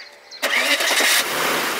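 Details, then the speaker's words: Warm restart of an Audi/VW V8 (1994–2005 VAG engine family with hydraulic chain tensioner issue) after a start from standing that rattled; second start runs even with no timing chain rattle, normal. "слышите да то есть мотор работает после второго раза уже нормально"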